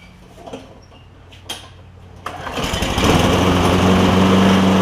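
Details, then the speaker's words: Lowe's MTD push mower with Briggs Quantum engine, smoking and spitting gas out the carburetor intake, runs better without air filter, tight intake valve suspected: catches after a couple of pulls and runs loud with an unsettled beat; rough running. "so before I get started I'll show you an example of how it's running and so it just sits there and smokes"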